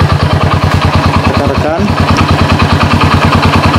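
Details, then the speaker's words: Honda Supra motorcycle converted to LPG with GX160/200 LPG carburetor and low-pressure regulator, idle circuit set: even quick thumping at steady idle, no misses or hunting; started in two kicks, normal idle. "kita engkol saudara-saudara enggak pakai lama cuma dua kali engkol langsung bisa itu semua karena pengaturan di stasionernya saudara-saudara ya"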